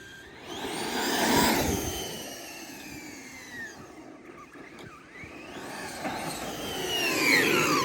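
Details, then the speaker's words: Traxxas X-Maxx with an eBay belt and pulley drive, second test. A smooth belt whine rises and falls with throttle, with no clicking or chatter; tension is maybe slightly high. The earlier chatter was thought to be the belt coming loose, and the pulley set screw was found tight. "you can just hear the belt now foreign like to me that sounds all right like maybe a little bit too much tension but I'd rather have too much than too little tension"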